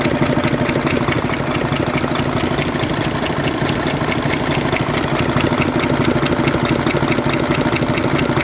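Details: 2009 Mercedes Actros six-cylinder diesel at idle: hard regular banging knock about three a second, misfire-like, from a seized rocker roller on cylinder three.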